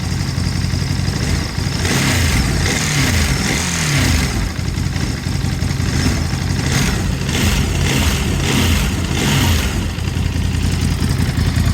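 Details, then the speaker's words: New 2023 Ducati Monster+ 937 twin at pickup, roughly warm, idling around 1300–1400 rpm: low, lumpy twin idle with several quick clean blips that rise and settle straight back; normal idle and throttle response. "so here's what the idol sounds like um and this is pretty much warm well warm in terms of idle we're idling right around like around like 13 1400 RPM it's definitely a lower idle than I'm used to but then again this isn't a single center it's a twin"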